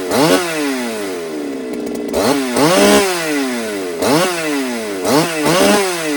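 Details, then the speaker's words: Ported Holtzfforma 395 chainsaw running lean, compression release possibly stuck, oil pump problems: repeated screaming revs all peaking at same pitch without climbing; RPM limited at top end, tune not affecting it, cause unclear. "This one's like hitting this this ceiling and just it's not going any further. You know what I mean? Like my tune isn't affecting it."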